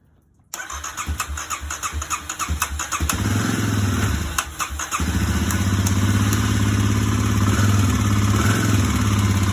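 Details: 2009 Kawasaki KLX250S after carb jet cleaning and fresh gas, on choke: a few uneven chuffs while cranking, then catches into a steady, even single-cylinder idle; normal start and idle.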